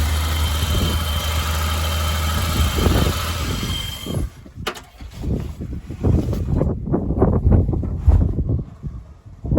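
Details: BMW E30 323i six, sat over a year, running in garden with no radiator and exhaust covered: deep steady idle note holds evenly for a few seconds, running smoothly; normal idle.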